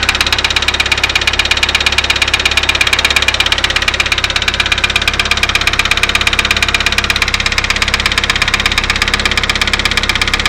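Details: Daewoo Lanos engine at idle: a sharp, regular metallic knock about three per second, steady throughout. Engine knock of unknown cause.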